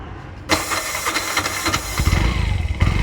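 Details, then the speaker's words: Bajaj BS4 with a new starter whose armature failed, carbon brushes just replaced: sluggish, uneven slow cranking; slow start persists despite new brushes, armature suspected. "ಹೇಳಿಲ್ವಾ ಸರೋಗಲ್ಲ ಅಂತ, ನೋಡ್ಕೊಳ್ಳಿ. Start ಆಗುತ್ತೆ, slow start."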